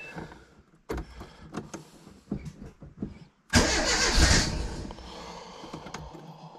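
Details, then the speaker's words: Renault Super 5, first start after a year and a half of restoration: several weak cranking pulses, then it catches with a loud burst and quickly sags away; fires briefly then stalls. Fuel circuit needs refilling. "je va je va on va voir elle a pété elle a pété"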